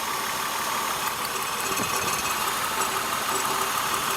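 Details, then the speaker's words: 2002 Acura TL idling with an uneven, stumbling beat from a non-contributing cylinder: a misfire with TCS light and flashing check engine light, traced by swap test to a bad ignition coil or spark plug, to be replaced. "So, once I get a new one, a new ignition coil, a new spark plug, I'll put that in and it should fix the problem."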